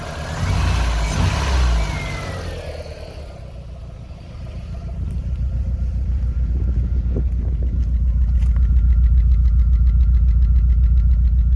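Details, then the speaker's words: 2000 VW Golf Mk4 GTI 1.8T AGU before repair: it catches into a steady low thrum with a slightly lumpy beat. The engine runs rough with a fuel smell, a misfire traced to a failed ignition amplifier, with a replacement about to be fitted. "It's been running a bit rough, and I've literally just took delivery of this from Awesome GTI off their eBay store, and it's a replacement ignition amplifier."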